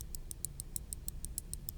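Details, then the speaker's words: Logitech G604 wireless mouse, opened, before repair: left button's original OMRON switch clicked, double-clicks about 10% of the time, crisp clicks about six a second with slightly off, varying tone versus the right button; worn mouse switch. "You can hear that the tone is off a little, couple clicks. It clicks a little bit differently sounding versus the right click."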